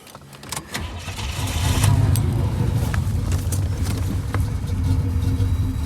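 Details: Pontiac Grand Prix G-body with a cammed 305 small-block Chevy and new wires: lumpy idle stumbling about four times a second, shaking when stopped. The random misfire persists after the first fix attempt.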